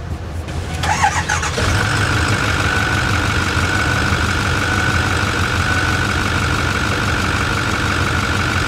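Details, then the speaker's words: 2008 Ford 6.4 diesel truck, 164k, blow-by test with J-TEC tool reading 4.7 at idle and 8.8 at 1500 rpm: rough clattery idle with steady crankcase chuffing, popping the oil cap; excessive blow-by past rings. "yeah this thing's huffing and popping"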